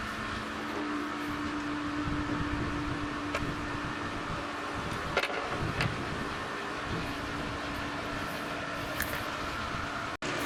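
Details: Pool pump after its crack was repaired with a plastic welder and marine epoxy, just switched on: steady constant mid-pitch motor hum with no grinding or rattle. It runs smoothly.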